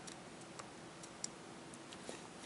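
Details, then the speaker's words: Scope dial, disassembled and cleaned: a few sharp, light clicks as it steps through its detents in a quiet room, with firm, crisp click feel. "このようにカチカチっと気味よくはい動作しますこの音がいいですねカチカチって"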